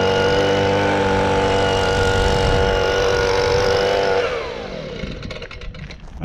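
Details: Stihl BG55 handheld leaf blower two-stroke after fitting an aftermarket carburetor, started on choke: steady high buzzing note that sags and winds down toward a stall after about four seconds; idle speed incorrectly set, idle screw needs adjusting.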